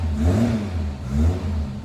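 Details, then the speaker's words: Cold four-cylinder Le Mans green Mk1 Ford Escort revved up and down after its World Cup competition crossmember was removed. Smooth, with no knock or rattle. Before, idle resonated through the body and shook the clock glass. Normal revving. "Well, that is so much better. It was resonating through the full body whenever it was idling. All the glass on the clocks was shaking and everything. It was awful. But no, that's much better."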